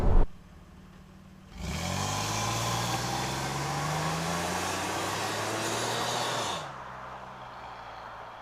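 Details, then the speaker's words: 1997 Camaro 3.8 L 3800 Series II V6 after Walker Sound FX 18235 muffler install, recorded in car with window down: revs climb smoothly, deep even drone, clean return to idle; normal exhaust note. "Okay, in car with the window down. I'm going to get on it. That sounds pretty good, actually."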